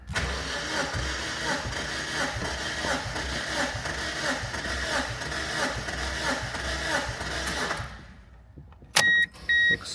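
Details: 2001-2005 Mazda Miata VVT engine cranking during compression test on cylinder 3, plugs out, reading about 190 psi: steady even cranking about two beats a second for nearly eight seconds, then beeps; healthy cranking.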